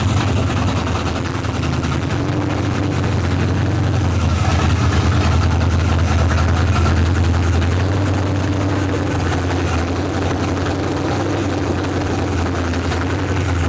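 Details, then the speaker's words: Monte Carlo V8 hot rod after cylinder head replacement, with a high-lift cam, running on open headers: loud, deep, even idle rumble with no misses, ticks or knocks; engine running healthy. "Damn! She running good. That sounds really good."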